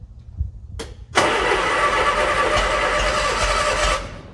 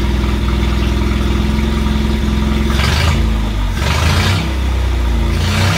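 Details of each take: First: 1968 Bedford CA ice cream van being started after sitting, with the coil temporarily relocated. The starter churns steadily with a few pops but the engine never catches. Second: 1968 Bedford CA ice cream van run for the first time in years, briefly because there is no coolant. The old four-cylinder ticks over steadily and picks up cleanly on quick throttle blips, then settles back: running.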